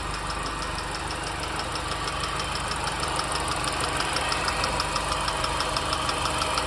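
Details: R53 MINI Cooper petrol engine idles with a steady light ticking of about three ticks a second over the running sound; owner asks where it comes from.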